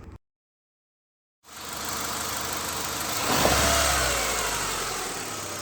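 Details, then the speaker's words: Honda Stream petrol engine, quiet at idle. When revved, a rough metallic knocking ("ngelotok") rises with rpm, pointing to worn crankshaft bearings. Suspected bottom-end knock, not confirmed. "Nah itu Ya temen-temen jelas banget kan saat RPM dinaikkan atau gas kita tekan ya itu ada suara ngelotok ya teman-teman"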